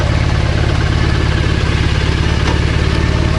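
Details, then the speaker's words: Triumph Bonneville twin checked for stuck clutch with clutch pulled in and gear selected: steady, even low idle, no drag or lurch. Normal idle with clutch disengaged. "Oh, and look at that. It's absolutely fine. That's the clutch drag. So yeah, it's absolutely fine, the clutch."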